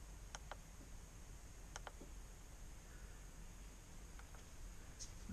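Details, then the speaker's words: VOSWITCH JL400 auxiliary switch panel in a Jeep, 40 A relays: crisp paired ticks as each switch flips, relays pulling in and dropping out cleanly; normal relay operation. "you see they change colors when you turn different ones on we can hear the relays clicking if I stop talking you'll be able to hear"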